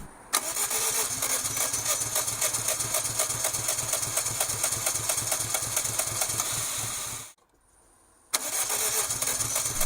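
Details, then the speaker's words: Daihatsu Cuore Avanzato TR-XX R4 (L512S) after 13 years without an oil change, with fresh oil, new filter and fresh petrol: fast even cranking repeated over several attempts without catching, a long crank with no start. "now it was time to actually try a start I knew this would need several attempts"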